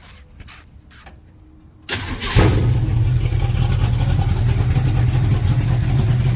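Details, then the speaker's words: 1967 El Camino 355 small-block Chevy, Vortec heads, big cam, after fitting 1.5 full roller rockers and valve adjustment: starter cranks, V8 catches into steady, even idle, no misfire, ticking or rocker clatter; idle smoother, less choppy. "No misfire. No tapping. Sounds good."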